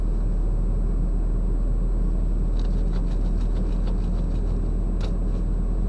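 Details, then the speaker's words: Truck warming up at cold idle before a daily loop for Ohio E-Check, no check engine lights: low, smooth, even rumble with no knocks, misses or rattles. Healthy cold idle. "we'll just let it warm up a minute here"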